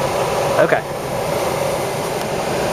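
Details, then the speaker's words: Old rusted Goodman heat pump air handler, blower motor running after failed stack blower relay replaced: steady even airflow whoosh with smooth motor hum, no rattles or hesitation; blower working normally. "she is alive one good relay and now one Happy fan motor one happy customer"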